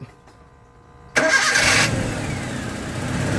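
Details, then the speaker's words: Toyota gasoline engine after the hard-start fix: starter motor and main cable washers cleaned, back-to-back washers fitted, single negative cable, 13 V battery. The starter turns once and the engine catches at once, then settles into an even idle: a healthy one-click start. "Start. No hesitation. Umandar kaagad."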